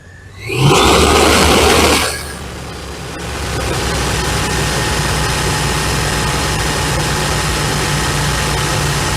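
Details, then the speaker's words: 1993 Chevy S10 4.3L V6 (non-Vortec) after thermostatic fan clutch replacement: a quick rev, then a steady idle with a constant rushing fan roar as the clutch locks up at first start; this is normal and the roar fades. "and then the only other time you'll hear that heavy Roar which is the fan turning at full speed is when it's Gathering that there's a lot of heat coming from the radiator that's not getting expelled"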